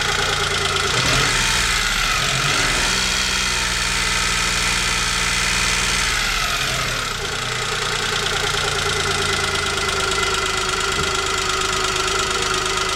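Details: Chevrolet Spark 800 cc three-cylinder at idle with a sharp metallic ticking over the hum, steady about three per second; owner asks whether this is engine knock, cause unknown.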